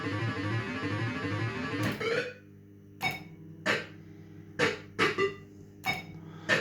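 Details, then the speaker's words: System 80 machine after a speaker replacement: game music plays full, loud and clear, with crisp sound-effect bursts and no crackle, buzz or dropouts; sound output now normal. "I'm so happens the ants not getting that off it's actually sounds really good sounds like a different machine"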